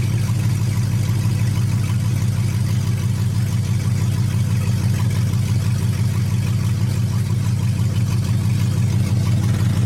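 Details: 5.3 LS-swapped third-gen Pontiac Firebird idling after a new fuel system install (stainless sending unit, braided lines, inline filter): smooth, even low rumble, steady unwavering idle beat, no ticks or misses; healthy, leak check next.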